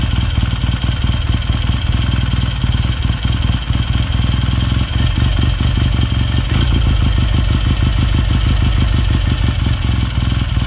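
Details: 1969 Triumph T100C twin, cold start on one kick after a rebuild: steady, even low thumping at about four beats a second, no knocks or rattles, settling into a clean idle; normal idle.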